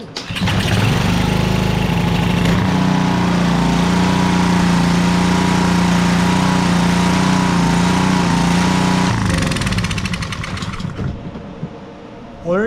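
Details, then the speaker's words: Simpson pressure washer with Honda GCV160 engine whose pull string wouldn't pull because of rust binding at the flywheel, started on choke with a full tank: catches first pull, runs steadily with no misses, shuts down cleanly; normal start and run. "go there you go just had a little rust in it rusted it to the flywheel"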